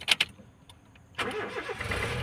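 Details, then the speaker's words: 2004 Honda Jazz GD, manual; short crank, then catches cleanly and settles into an even idle. Seller says the engine is good, doesn't blow smoke, and is ready to use. Normal engine start. "เครื่องดีครับไม่ไม่พ่นครับใช้งานครับเอาไปใช้งานได้เลยซื้อไปไม่ต้องทำอะไรครับ"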